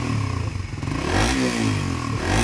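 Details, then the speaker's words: Suzuki Raider 150 Fi after basic maintenance (PMS) and FI reset: quick sharp revs over a steady top-end mechanical clatter, the loud tensioner noise said to be normal; healthy engine. "nag-aggressive yung unit niya mga paps, no? Gawa ng bago lahat, no? Unit."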